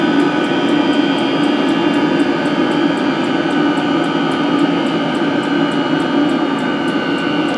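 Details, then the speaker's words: 16 kW 12V diesel parking water heater, first full test run, water at 75–80°C; blower motors and fuel pump slowing down. Steady blower roar with fuel pump ticking evenly about three times a second; normal running at temperature. "So as the blower motors bring the speed down. Fuel pump slowing down."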